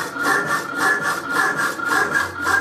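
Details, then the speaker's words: Mended Rapidor power hacksaw cutting box-section spacers, damper lifting blade on the backstroke: regular rasping about twice a second, heavier on cut, lighter on return; normal cutting stroke. "can you hear it's lifting it off on the back stroke"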